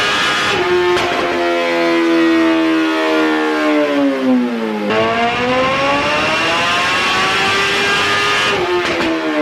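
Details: 2008 Suzuki GSX-R1000 on a dyno, warmed up, owner reporting an unpinpointed fuelling issue after an aftermarket ECU flash: full-throttle pull with a clean, even wail climbing smoothly through the revs and dropping back without stumbles or misfires; a normal pull.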